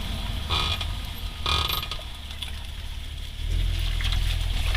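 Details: 2008 Honda Accord V6 braking after new rotors and pads, lubed caliper slide pins and heat shields checked clear: uneven clunks and short grinding bursts from both rear sides over road rumble; cause undiagnosed.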